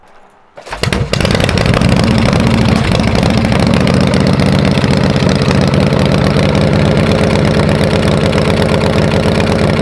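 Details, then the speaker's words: Shovelhead V-twin chopper kick-started after sitting, good compression; catches in about a second into a loose, lumpy, rough but steady idle with visible smoke, worse than before; owner suspects valve seals or guides rather than cylinder walls. "well it was worse than the first video yeah definitely it was pretty bad when we started off the table yeah that was pretty bad"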